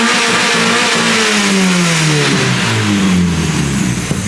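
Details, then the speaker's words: Supercharged Mazda Miata, stationary free rev: pitch falls smoothly from high revs with no stumble, cut or misfire, reaching the rev limiter as it should with no boost; normal free rev. "it's something so it actually revved to the Rev limber like it's supposed to with no boost"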